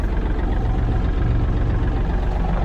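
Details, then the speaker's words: Yanmar AF230 cab mini tractor, diesel, at start-up. A deep, steady diesel chug with an even rhythm and no knocks or misses. Normal idle. "Давайте запускать собственно запуск Я думаю что проходит без проблем при такой наработки так работает ровно"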